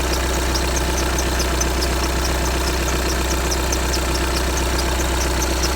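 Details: 2015 VW Tiguan 2.0 TDI 150 BMT diesel, 34,000 miles, idling cold: light quick chirping squeak high above the clatter, goes quiet after a minute or two warm-up; source unknown.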